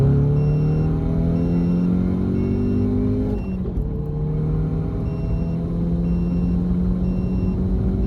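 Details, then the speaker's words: MK7 GTI manual, being fixed for bucking/hesitation before a meth tune, logged full-throttle pull from 2,000 rpm in second gear, shifting at about 6,000 rpm into fourth; smooth rising note, brief dip at shift, no misfires. "So right there, I got it all the way to about 6,000. That's when I want to shift with the manual, 6,000 RPMs."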